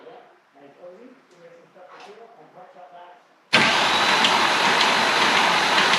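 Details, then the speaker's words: Engine's first start after reassembly, with the oil pump just primed: brief cranking, then the engine catches and runs with a busy metallic rattle. Owner suspects timing chain noise because oil pressure has not yet reached the chains. "it almost sounds like there's a little bit of chain noise so I'm just going to keep on cycling oil seeing if uh if maybe just oil pressure hasn't been able to reach the chains enough"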